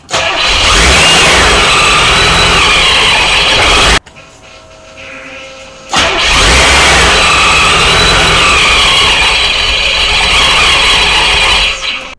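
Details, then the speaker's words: Supercharged Corvette V8 at first start-up while setting base timing: runs a few seconds, dies, restarts and runs ragged; won't hold idle. "but if the Vet's not idling it doesn't matter what you do uh so let's just push on and see what happens"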